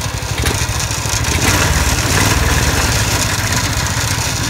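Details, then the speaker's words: iwinch Winch Skate small petrol engine revved: runs smoothly but an uneven metallic clatter rides over it from a loose hitch and fittings rattling against the frame. "There's this thing rattles a little bit. That's why it's most of that noise, and the hitch thing rattling around too, and it's loose, so that's why it's so noisy."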